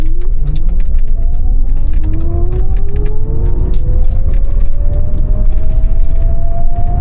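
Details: Gearbox whine from the original manual gearbox in a 1990s Ford Mustang Fox Body converted to a 500 hp electric motor, driving in third gear around 2000 rpm; clean whine rising in pitch with road speed over a low drive hum, normal.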